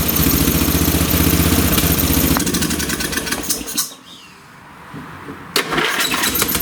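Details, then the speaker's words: Late-1980s/1990s lawn tractor engine after a fresh-gas start: the single fires, falters and nearly dies off choke, then picks up. Poor running off choke, so the carburetor screw is turned out further, to about two turns. "okay so it's not running too good off the choke again so I'm just going to turn out the screw even more"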